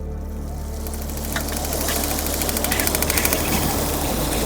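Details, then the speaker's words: BougeRV portable outdoor water heater in wind: quick even igniter ticks over a steady hum as the burner lights, water warming to about 77–81 °F; ignition normal. "you can hear the ignition going, and the water is now getting warm."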